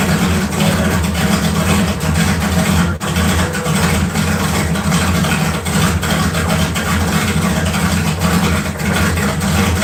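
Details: LS 4.8 V8 swap on 60 lb injectors with a new remote tune, after struggling to run properly; steady, even deep-rumbling idle with a couple of light blips, running smoothly and healthy.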